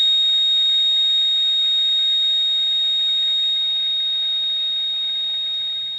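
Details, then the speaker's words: Radio receiver at 4:30 am: steady piercing high-pitched ring, not a buzz or tone, present on lower and upper sideband but not AM or FM, source direction unknown, fading slightly at end — interference tone. "it's almost into a like a ringing sound you know what I mean it's not like a buzz or a tone it's almost like a ringing"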